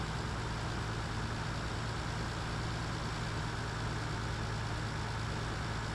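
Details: 1985 Toyota Celica Supra (MKII) after engine rebuild for blown head gasket between cylinders 4 and 5, driven about 500 miles; smooth, even low rumble holding steady pitch with no misses, knocks or ticks; healthy, settled idle.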